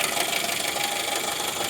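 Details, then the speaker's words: Jeep TJ 4-cylinder at idle: a light, fast ticking knock rides over a steady idle and is hard to place. Top end versus bottom end is unclear, with the bottom end suspected but not confirmed. "yeah there's that noise hard to tell where it's coming from"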